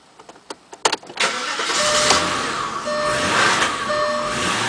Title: A8 rough idle on cold start